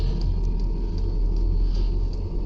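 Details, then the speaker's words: New 5 kW 12V diesel air heater in truck bed turned down to about setting two: soft steady rumble with faint pump ticks a couple per second, inaudible from the front sleeping area. Normal running on low. "I probably just got it on uh setting two and you can I mean you can hear the ticks right here but when you're uh sleeping up front you can't hear it"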